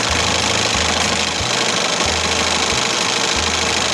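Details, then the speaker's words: 1968 Evinrude Fisherman 6 hp outboard after throttle linkage repair, running at low throttle with little handle travel available. Loud, busy buzz with a fast even beat around three per second, no misses or knocks; she sounds good. "Not a lot of handle, you know, not a lot of throttle to give. Yeah, she sounds good."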